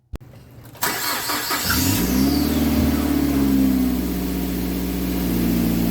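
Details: 2006 Mazda 3 2.0-liter, road test after replacing engine and transmission mounts for rattling and popping in drive and reverse: engine pulls smoothly up through the revs under road noise, no rattles or thumps from the mounts.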